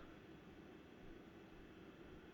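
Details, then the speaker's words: BenQ X1300i gaming projector recorded less than a foot away, fan ramping up slightly while gaming (Cold War): soft steady airy rush, no clicks, rattles or bearing whine; normal fan noise. "You can hear it ramp up there a little bit."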